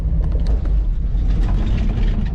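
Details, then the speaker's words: 1965 Ford Mustang straight six, warm, stalling after sitting all winter: rough uneven low rumble with dips and stumbles, sputters and dies, then cranks once as if battery dead; owner suspects weak coil power or a carburettor fuel issue. "what you guys saw there was the thing spottered out and died and then it cranked once"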